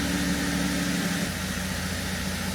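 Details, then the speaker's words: 2017 Holden Commodore SV6 with LFX V6 at a warm, smooth idle, an even low hum with no misses or ticks, after an oil and filter change and six new iridium spark plugs; "she purrs." "Yeah, she purrs. Beautiful."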